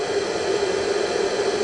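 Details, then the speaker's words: Belttt 1000 W pure sine wave inverter on 3 lead-acid starter batteries running a miter saw near its limit (lights dropped out): steady airy whoosh with faint even hum as the inverter's cooling fans kick in under heavy load. "Now you can hear, once I started that up, you can hear the fans going on the inverter"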